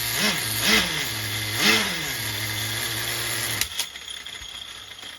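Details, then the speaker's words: HPI MT2 nitro RC truck engine being tuned. It burbles unevenly, blips up three times, then sags and cuts out after about three and a half seconds; it seemed to run lean. Owner suspects the bottom-end mixture, an air leak or a clog. "trying to figure out what the hell was going on there it was like running real lean for a second I had the rich and the whole mixture"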